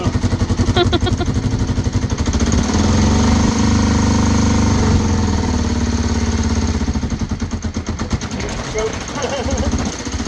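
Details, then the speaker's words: 1989 Kawasaki GPZ500S, about 17,000 miles, off the road since 1994: uneven, stumbling idle with irregular firing pulses and a lumpy beat on first start; runs but rough. "So, now that we know it starts-ish, it was a bit rough, but it was going."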